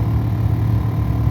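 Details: 2013 Ford F150 heater blower fan running at about half speed during refitting: low droning hum with an uneven, fluttering throb; the blower is vibrating, with the blades found unbalanced.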